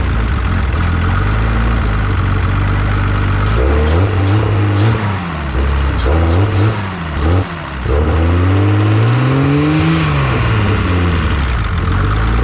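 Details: 1986 BMW 325e E30 sedan, cranks but won't start: revs rise and sag in uneven blips, unable to hold steady; injectors get signal but deliver little fuel, one clogged and five low-flow.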